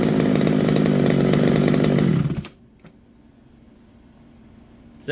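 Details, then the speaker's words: McCulloch BP1 balance-piston two-stroke chainsaw after carb kit rebuild: crisp, steady high-revving buzz that holds even, then cuts off cleanly; runs healthy, like a modern saw. "pretty good sounds like a modern day chainsaw"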